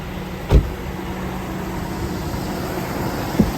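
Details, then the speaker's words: GMC Yukon after fuel injector replacement, fuel pump relay reinstalled to pressurize system: quiet, even idle with no stumble or miss, couple of handling thumps; idle better than before, no leaks. "Idle sounds a little better. Maybe uh that whole bank number three I know was having trouble. Sounds pretty good."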